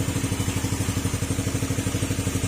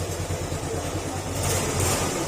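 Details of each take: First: Old Yamaha Sporty single-cylinder scooter after an engine overhaul for a knocking engine, test-run with the airbox off: steady, even idle putter with no clatter or knocks. The remaining noise is only from a holed exhaust pipe. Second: Old Yamaha Sporty motorcycle engine at idle with CVT pulley removed: steady rapid low bottom-end knock; suspected crankshaft bearing or crankshaft, not connecting rod; engine to be overhauled. Engine knocking.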